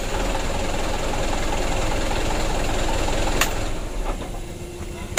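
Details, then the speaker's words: Normal start and idle on a Mitsubishi Canter 136 PS HDL diesel truck after repair of hard starting and diesel mixing into engine oil: it catches quickly and settles into a steady clatter of about three beats a second. "coba lagi Alhamdulillah untuk hidupnya sudah lumayan bagus ya tidak sulit"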